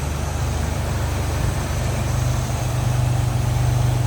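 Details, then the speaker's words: 1949 Willys Overland Jeepster, 3.8 L GM V6 (guessed Buick) with HEI ignition and rebuilt Holley carb, idling with the hood open: steady, even low hum with no knocks or ticks; running smooth and healthy. "We know it's a GM. My guess is Buick running pretty smooth either way."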